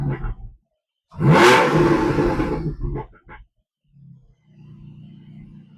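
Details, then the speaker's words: Porsche 718 Cayman/Boxster GTS or GT4 with an aftermarket exhaust valve controller fitted, set to on so the valves stay open. A sharp, loud rev climbs and falls back to a low, even idle burble: normal free revving with the exhaust valves open. "So this car has got the valves open all the time. We're in in the on position."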